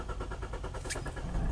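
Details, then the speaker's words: 2017 Kia Sportage, intermittent extended crank on cold morning starts and stalling while driving; starter churns in even pulses over a second before catching, warning lights come on; hard start traced to crankshaft position sensor fault (P0335). "Okay, so it definitely gave me a hard start, and we got some lights popped up."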